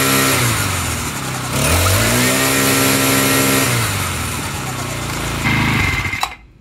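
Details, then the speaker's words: Craftsman C944.515580 four-stroke trimmer, Briggs & Stratton 34cc engine 021032 on straight gas, unused since last year, after carb replacement: once warmed up, buzzes evenly, picks up revs cleanly, settles without sputtering, then shuts off; running healthy. "this thing runs awesome now I just had to let it warm up you know this thing hasn't run since last year sometime"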